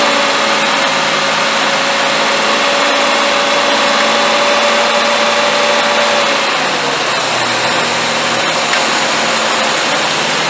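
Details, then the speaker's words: Engine restarted after fuel injector balance test and disconnecting the tester: catches and settles into smooth even idle, hum easing slightly lower after a few seconds; normal idle. "all right there you go start it right up I am pretty good"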